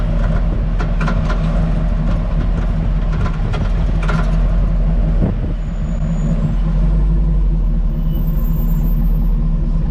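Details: Hummer H2 (owner's) driven at only 10–20 km/h: sharp irregular clatters over steady low road rumble, loudest early on. The rear rattle is heard from the cargo area and tapping is felt. It has persisted for years despite new springs, shocks, spring rubber seats, stabilizer links and bushings, and the cause is still unknown.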